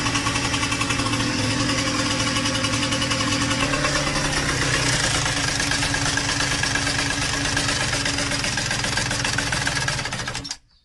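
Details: Yamaha DTR125 two-stroke bought with a rattle 3 days after a new piston and a carb leaking from the overflow pipe; rough idle with an irregular light knock about four per second over the exhaust; owners suspected a clipped valve or slack; piston slap.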